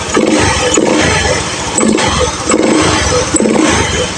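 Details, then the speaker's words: Honda Beat FI scooter after repair of stumbling and stalling (fuel pump pressure previously low, ECU reset, weak battery so kick-started): kick-start strokes settle into smooth, steady idle, now responsive, fuel pump fine; normal start and idle. "sekarang responsif. Suaranya ini ya, mesin halus, full pump aman."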